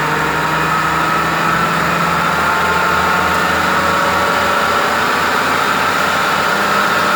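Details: Toyota Funcargo 2WD with the front wheel raised on a jack and driven in gear; a steady low drone with a faint even tone comes from the worn left front wheel bearing, while the right side is quiet.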